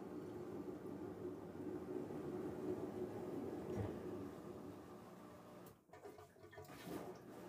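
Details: Kenmore Oasis washer on spin, around 200 rpm with balance slightly off: rough churning rumble as the tub labors and can't reach 400–900 rpm due to bearing friction. Worn tub bearings.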